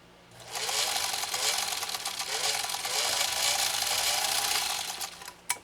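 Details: Restored Singer 66-16 sewing machine sewing a single layer of compressed felt: quick, even clatter that speeds up and settles smoothly through the stitching, no catches or grinding; runs sweetly, normal sewing.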